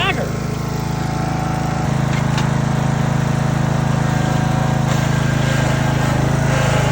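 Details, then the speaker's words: Neglected Husqvarna residential zero-turn mower with a Briggs & Stratton 20hp engine; it had milky oil and surged. Steady idle with a light, fast tick over the beat; suspected loose valve lash, valves to be adjusted. "it does sound a little Ticky so we're going to have to go through this process here of taking this bracket off so we can get to the valves and and adjust those just adjust the valve lash not a massive deal"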